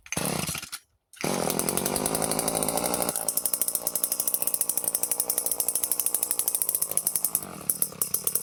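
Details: Late-1970s Power Mac 320 chainsaw, unused since early 1980s, after carburetor rebuild and lowering the metering lever: fires cleanly after brief dropout, crisp even exhaust beat at fast idle, no hunting or stumbling; running healthy.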